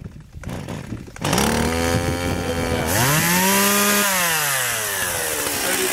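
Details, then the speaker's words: Stihl MS 170 chainsaw started on half choke with chain brake on: one pull catches to a steady fast high idle, surges briefly, settles evenly; trigger then pressed to drop out of high idle. Clean healthy start. "I flipped it off real quick and hit the trigger to take it out of that high idle"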